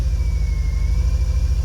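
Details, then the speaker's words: 2000 VW Golf Mk4 GTI 1.8T AGU, before repair, sudden severe misfire through the rev range with shaking and strong fuel smell: deep, uneven rumble with stumbling dips. Cause traced to a failed ignition amplifier (ignition control module); replacement restored smooth running. "so just to kind of recap the car is running a little bit rough as you can hear"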